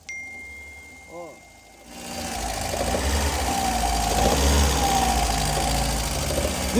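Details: Volkswagen EA111 1.0/1.6 engine (Saveiro, Fox, Gol etc.), heard loudest near the intake manifold: deep knock about three times a second under idle, steady with speed; worn main bearing, linked to the elastic auxiliary belt loading the crankshaft nose; check by removing the belt.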